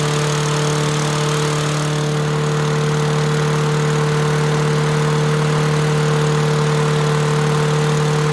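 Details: Toro Recycler mower with Tecumseh 6.5 single-cylinder engine: steady even hum at constant speed, no hunting, surging or misfire; sounds healthy.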